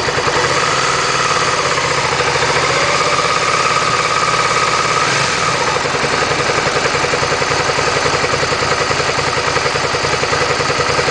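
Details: Suzuki SV650 V-twin idling hot: a steady, busy mechanical chatter rides over the exhaust beat. An abnormal engine noise that appears when hot, source not identified.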